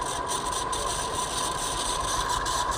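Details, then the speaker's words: Ceiling fan running very slowly on direct supply: steady dry hiss ("khis khis") with a thin high whine, scraping from a dried-out worn bearing; fan to be opened to inspect bearing. "तो ये आवाज कहीं करुच्ची खिस खिस खिस खिस खिस खिस आवाज कहीं करुच्ची, ये साउंड कहीं करुच्ची, तो से विषय में आपण मानक जनइबी।"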